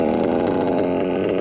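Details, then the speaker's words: Modded Reds R5R .21 RC nitro engine, still brand new and breaking in: fast, even, stable low idle, lowest yet seen, no stumbles; running cleanly. "see how it's getting it's really that's the lowest i've ever seen it just telling me that this engine is getting more broken in as you run fuel because it's still brand new but you can get a pretty low idle on these"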